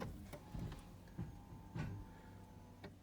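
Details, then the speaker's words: Ferrari 360 F1 gearbox stuck in neutral, engine bay panels removed: faint F1 pump hum under uneven clicks and clunks as the actuator tries to shift on paddle and reverse selection, but no gear engages. "So you can hear the pump, you can hear the actuator trying to go through the motions. And nothing there."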